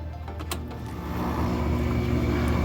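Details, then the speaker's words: Free window air conditioner after teardown, cleaning and reassembly: a steady low hum builds as the compressor and fan kick on together and runs evenly, the earlier squeak gone; owner still hears a little motor noise and doubts how long it will last. "oh yeah, heard the compressor and the fan kick on at the same time. And it sounds like I got rid of that squeaky."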